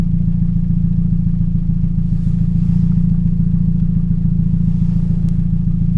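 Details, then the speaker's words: 2007 Toyota Yaris 1.5L 1NZ-FE at idle: deep, lumpy idle with regular stumble, one cylinder dropping out; misfire on cylinder 3 traced to a faulty ignition coil, before plug and coil replacement. "My '07 Yaris sounds like it has a misfire."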